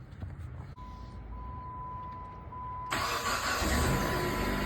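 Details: 2007 Jeep Compass 2.4 after starter replacement, battery reconnected: a steady chime, then a brief crank and the engine catches at once and settles into an even idle; new starter working properly.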